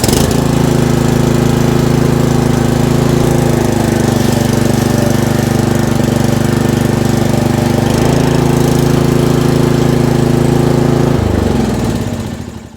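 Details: Columbia CR30 riding mower, 2.5 months old, after clearing insulation and debris jamming the choke lever that made it run rich: steady, even single-cylinder drone with no misses or hunting, then clean shutdown.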